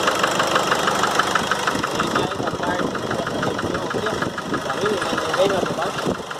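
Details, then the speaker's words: Nissan Frontier 2.5 diesel, 2008, 187,886 km, slow to start: idle with sharp regular knock about three per second over clatter, hammering hard on throttle release; burnt head gasket between cylinders. "a do cabeçote de cilindro um pouco é por isso a explosão fica jogando pulando em hop e ponha em causa nesse barulho vocês puderam acompanhar no início do vídeo nosso problema até a junta queimada"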